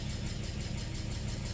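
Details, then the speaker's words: Nissan VQ35DE (G35/350Z) with stalling/low-idle issue when warm, warmed up ~10 minutes, temperature under 183°F: steady smooth low idle holding around 700 rpm without dips; idle currently normal. "far as idle idle is a doing really well even if I read it it doesn't seem to fall far below the 700 mark"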